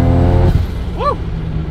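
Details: Mazda RX7 FD rotary after fixing a non-running ignition coil, now firing on all four coils; it had been over-boosting earlier, possibly from running on three. Deep, even drone heard from the open window, pulling under load with no stumble.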